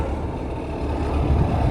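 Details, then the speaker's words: 1979 Kenworth W900A big-rig diesel (Smokey and the Bandit tribute truck) at idle after restoration work; deep, steady rumble swelling slightly toward the end, no knocks or misfires; pipes sound good, normal healthy idle; Jake brake still needs fixing. "Oh, those pipes sound good."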